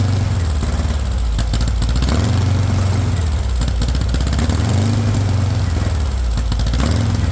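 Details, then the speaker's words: VW engine with straight pipe, first startup on starting spray: low, uneven lumpy running that surges and sags at modest revs; no fuel pressure, no fuel getting through, owner suspects a bad fuel pump. "When you spray it, it wants to rev, but if you don't give it enough air, it wants to choke out."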